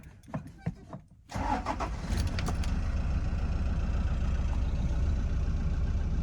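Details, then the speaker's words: 2005 Toyota Hiace 2.5 D4D diesel after timing belt replacement: cranks briefly, fires quickly and settles to a steady, even idle with no knocks or rattles; healthy engine. "that sounds pretty normal so think we've done it"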